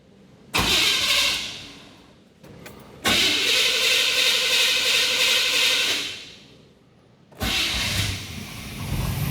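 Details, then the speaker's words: 1987 Chevy C10 with 305 throttle body injection: three times it catches, roars briefly, then fades and dies; won't stay running, traced to rust and grit packed in the injector bowls. "If you've got one of these old fuel injected trucks and you kind of crank this thing up and it runs for a second, dies, you start it again, runs for a few more seconds, then it dies."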